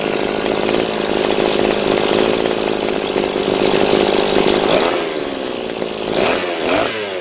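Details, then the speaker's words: Butane gas-powered brush cutter after a carburetor rebuild (diaphragm, throttle valve, gasket, new spark plug). A steady, high buzz that eases smoothly down toward idle, running evenly with no stumbling. Normal running. "Hãy đổ ga và nổ máy. Hãy mở van động cơ đang tăng tốc và đang được điều chỉnh."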